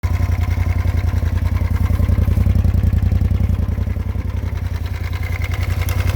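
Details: 2018 Polaris RZR at idle: sharp, regular pulsing knock about three to four times a second over low engine rumble; abnormal engine noise, source unclear.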